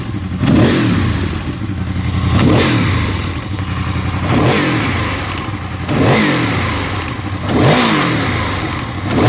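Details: Honda VFR engine revving up and falling back with a faint light ticking that is present only until operating temperature is reached, then disappears; cause unknown.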